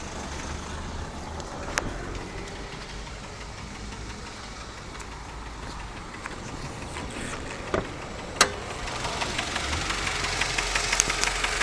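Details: Mazda 6 1.8 engine idling with an irregular light knock, roughly three taps a second; cause not identified. Engine knock.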